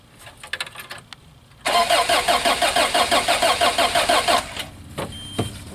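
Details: 1986 Toyota van that sat about 5 years, new starter just fitted, cold day: starter turns engine with even chugs about three a second for nearly three seconds, never catches; crank no start, owner suspects no fuel delivery from the fuel pump.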